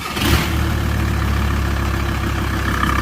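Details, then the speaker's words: VW T4 diesel after fitting 150 injectors with 260 nozzles, a hybrid turbo and 3in downpipe: smooth, even, steady low drone running, no knocks or rattles; healthy. "well I forgot to pick the camera up but as you can probably hear she was started Dead all back together again"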